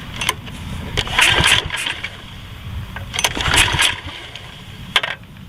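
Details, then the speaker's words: Generac 4000XL generator, GN-220 7.8 HP OHV engine, choke on, stale gas, fires on sprayed carburetor cleaner in two brief sputters then dies; a stuck carburetor float is suspected. "all right so it looks like it will run and or attempted to start with just that little bit of carburetor cleaner"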